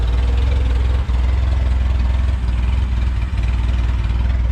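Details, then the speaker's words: Junkyard-assembled LSVTEC engine, first start: idling very low, deep and even with a soft steady pulse and no ticking or knocking; quiet, healthy normal idle. "I can't get over the fact of how quiet the engine is. There's no crazy ticking, no nothing whatsoever."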